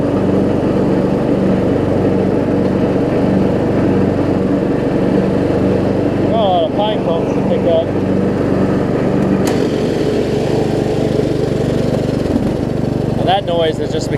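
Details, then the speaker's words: Craftsman LT1000 riding mower, running with blades engaged after a deck swap: steady drone with a rough rubbing rattle beneath; blade brake pads worn to nothing, common on these, yet the blades still stop. "the blade breaks don't have anything on them that's pretty common with these two it'll still stop the blades"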